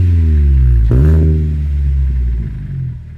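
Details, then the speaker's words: 2010 Kia Forte Koup SX, 2.4L four-cylinder, six-speed manual, about 5,000 miles into ownership, with an aftermarket Flowmaster muffler; a quick throttle blip with a deep grumbly exhaust note, louder than stock, settling back to a smooth idle, so it sounds healthy. "I put a Flowmaster muffler on the car. It's not really that much louder. It's definitely louder than stock. And you can hear it has a deep almost grumbly tone to it."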